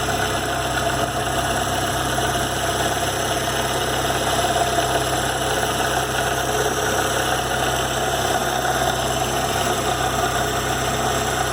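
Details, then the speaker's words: VW Gol G4 Power 1.6 AP engine without air conditioning, idling: a constant whirring whine from the poly-V accessory belt system, caused by a wrong fixed bearing on the accessory belt tensioner; the noise stopped once it was corrected. "acabamos descobrindo o que que o rolamento da balança que esticar a correia de acessórios um dos ornamentos estava errado"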